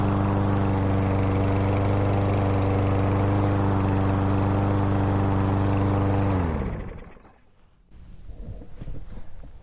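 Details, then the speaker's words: Troy-Bilt TB110 push mower with Briggs & Stratton 550EX engine, after fuel-system repair for a no-run after months of sitting: steady, even drone at constant speed, no misses or surging, smooth wind-down at shutoff; normal running. "sounds really good guys"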